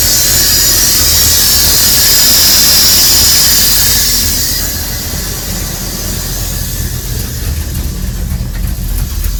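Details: 1999 Dodge Ram 1500 5.9 at idle out of gear, intermittent, smells very rich: loud high hiss from top of engine dominates an uneven idle, then fades as the engine settles; possibly a vacuum leak, unconfirmed.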